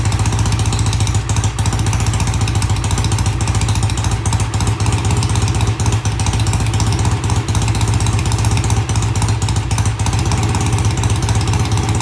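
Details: BSA A65 twin with new Premier carbs, after pilot-jet cleaning. Cold start after tickling the carbs, then a deep, even idle thump with no misses on either cylinder; good idle on both sides, easy start. Normal idle.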